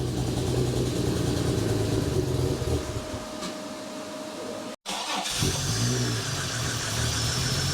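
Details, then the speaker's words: Holden Ecotec 3.8L V6 N/A burnout-car build, first start after final assembly with brake cleaner sprayed in: lumpy, uneven idle with irregular pulses and a stumble partway through; running rough because the tune is still off. "it tun's still a bit off so she's going to be a bit rough"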